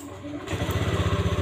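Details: Honda Beat ESP scooter after total electrical failure: after replacing blown 25-amp fuse, short starter whir, engine catches at once and settles into a quick, even putter; clean, healthy start.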